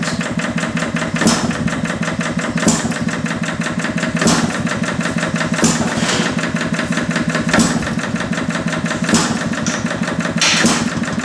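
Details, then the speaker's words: Detroit Engine Works 2HP old engine after repair, full ignition advance, rag wrapped on pulley for light load; crisp firing beats about every second and a half over steady clatter as governor comes in, healthy under load. "Take a rag here, wrap around the pulley and give it a little load. Governor comes in."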